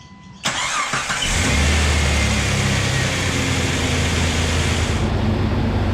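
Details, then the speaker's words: Fuel-injected AMC 6-cylinder Jeep with over 200,000 km and full service history: brief crank, quick catch, even steady idle; clean start, runs really well. "Well, there's not a great deal we have to do to this because it runs really well,"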